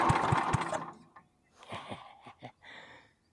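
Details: Wheel Horse 308-8 garden tractor, bargain buy, choked and sprayed with ether: a few sharp firing pops at about four a second, then it coughs, fades and dies instead of catching; not getting fuel, suspected not confirmed.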